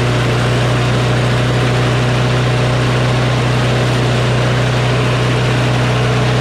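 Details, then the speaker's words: Craftsman push mower with a Briggs & Stratton Quantum engine, started cold at about 23°F after carburetor cleaning, screams at a steady high pitch with no hunting and very high rpm; the governor spring is overtensioned, its tab pulled out too far. "as you can tell the rpm is very high"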